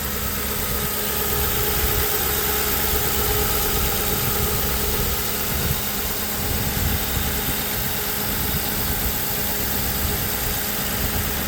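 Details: 2005 Ford Crown Victoria Police Interceptor P71, 4.6L V8 with heavy-duty cooling system, hood open: smooth, even idle with a steady low rumble and faint constant hum, no knocks or misses; healthy.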